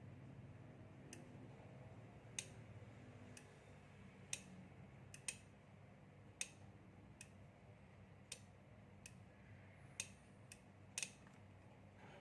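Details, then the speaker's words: 12VDC aircon relay, with the coil triggered by a 12 V supply and output confirmed. Sharp single clicks at irregular intervals over a low room hum, with no chatter or buzz; the relay switches normally. "So the moment you turn it on the relay with 12 volt power supply here, and there is output."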